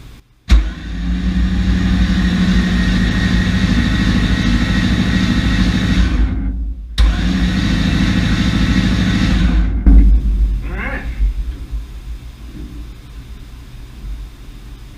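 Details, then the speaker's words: 1966 Chevy Nova wagon with a supposedly rebuilt 327 small block, not yet started, cranked to prime oil before plugs and coil are connected: steady, even cranking at about 200 beats a minute in two long runs, 40 psi oil pressure, no knocks or bangs. Healthy crank. "oh that's nice got 40 pounds while we're cranking it [Music] 40 pounds cranking I don't think anything's coming up"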